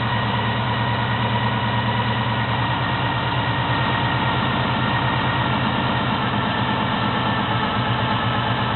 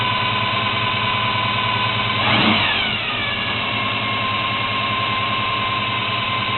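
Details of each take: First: 1972 Chevy Monte Carlo small-block 350 V8 on first start after a FiTech Go EFI install: cold engine idling slightly fast but steady and even with no misses, before the self-learning system brings rpm down. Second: 1972 Chevy Monte Carlo, small-block 350 V8 on its existing carburetor before FiTech EFI install, faulty factory starter: uneven idle with a steady high whine over it and a brief rev; whine source still to be tracked down.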